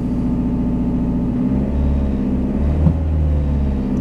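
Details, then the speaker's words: 2005 Toyota Echo idling: loud, deep idle drone with a rough puffing edge, steady and even; exhaust system otherwise good, but the exhaust manifold is leaking. "the exhaust system on this vehicle is good but there is a leak in the manifold i'm going to turn on the vehicle and you will be able to hear how loud it is"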